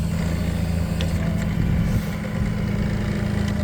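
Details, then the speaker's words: Gas Toyota 02-8FGF25 forklift, 2018, 2.5 t, triplex mast with free lift, hydraulic hoses replaced: mast tilting forward and back at idle, steady engine with no whine, squeal or chatter from the hydraulics, quiet and smooth; normal hydraulic operation. "як тихо та плавно працює гідравліка так показую нахил від себе нахил від себе і на себе"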